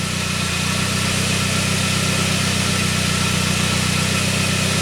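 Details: 1999 Saab 9-3 with a crank-no-start; the ignition coil signal is now healthy. Steady, even idle with a smooth low hum and no knocks, misses or surges.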